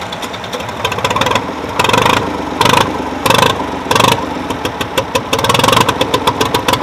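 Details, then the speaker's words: Old Ford three-cylinder diesel tractor, just fired up after sitting about 10 years and clearing oil from the cylinders. Uneven, lumpy running with surging bursts; owner thinks 1 or 2 cylinders are missing. "Yeah, we might be missing on a couple a little bit. Like 1 or 2 of the cylinders ain't the greatest, but you know, 1 out of 3 isn't that bad."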